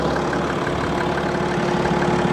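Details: BMW TwinPower turbo diesel at a Copart auction, with no dash warnings: steady, even idle with a smooth low rumble and no knocks, misses or rattles. The engine sounds healthy.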